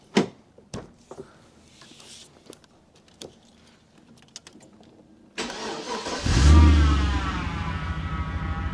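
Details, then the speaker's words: 1999 VT Commodore Berlina wagon 5.7L V8 with a power steering fluid leak, revved before warming: clicks, then the engine catches and revs with a loud rising whine over the idle; power steering pump whine, leak traced to a hose dripping onto the rack. "That traditional power steer whine. It's got there. I'll shut that off because that power steering pump sounds dead awful."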